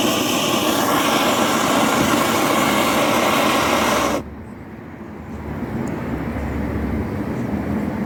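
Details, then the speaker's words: BRS-8 multifuel stove running on gas outdoors, after a makeshift tin part replaced the missing piece: loud, even roar with no sputtering or popping, then it drops off sharply; stable flame, quite noisy. "I've got to say, it does appear to be very stable even when the gusts of wind get up. It's not quiet, mind, as you can hear, it's quite a noisy little thing."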